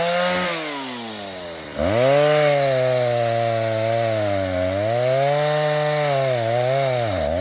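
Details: 1960s Stihl 08S two-stroke chainsaw, about 60 cc, cutting firewood: buzzy howl sags in the cut and snaps back high and thin; high-speed jet slightly lean, owner gives 1/8 turn more fuel before next cut.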